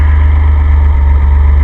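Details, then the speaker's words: Jeff Ward conversion engine idling, idle fine for 5-speed but may need raising to about 1,000–1,100 rpm for the owner's automatic: deep steady idle, no hiss or stumble, vacuum tight; runs fine. "Vacuum tight, runs fine."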